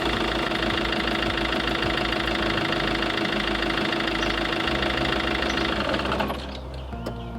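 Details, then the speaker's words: Iveco Daily campervan diesel idling right after an oil change and not revved: a light even tapping about three per second that smooths out as the new oil works round; normal settling after the oil change. "I just turn it over, let the oil work itself around, and you'll hear that. You'll hear it like be quite tappety, and then you'll hear the oil work round and it will sound quite smooth."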